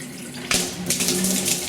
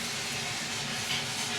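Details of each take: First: Pressurized gas-heated hot water system after replacing a Zilmet expansion vessel and refilling; hot tap opened to bleed air, irregular spitting and hissing bursts as water and air cough out; trapped air sputtering from tap. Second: Pressurised gas-heated hot water system with two cylinders and a Vaillant boiler, after replacing the Zilmet expansion tank: with the system still powered down, a steady airy hiss as trapped air bleeds from the open hot tap after refilling, before water flows.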